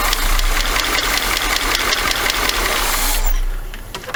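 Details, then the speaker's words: 1979 Chevy G20 van engine after sitting 30 years, first start attempt on carb spray; fires and runs rough and uneven a few seconds then dies, not picking up fuel, carburetor suspected: engine runs only on starting fluid. "I kind of hate to keep spraying it with carb stuff, but maybe we can keep it running to make it pick up some gas, because it's kind of hard to pour the gas and crank it."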